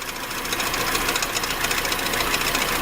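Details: Cold, unwarmed VAZ (Lada) engine, started on choke. Sharp, rapid metallic knocking at a steady rate from the front, possibly from above. The finding is a crank pulley knock; the owner suspected a valve (it fades when warm) or the oil pump drive shaft bearings, not the water pump.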